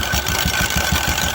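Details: 2016 Royal Enfield Electra 350 single-cylinder at idle with clutch cover opened, rapid metallic rattle on each firing pulse from the clutch side; a worn clutch-side bearing with play.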